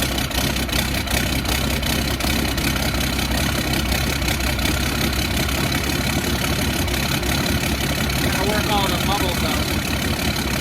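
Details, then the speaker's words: Humvee with swapped Cummins diesel, first fire on a new self-contained fuel system with new fuel cell and transmission oil pan, running with a steady, even clatter, no misses or hunting; healthy normal running. "that engine sounds better every time I turn it on I love it"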